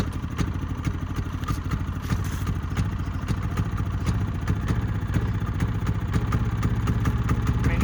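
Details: Brand-new Harbor Freight Predator 3500 generator, hard starting warm or cold: repeated cranking chatter with low uneven churn that never catches; passes load tests once running, cause unconfirmed.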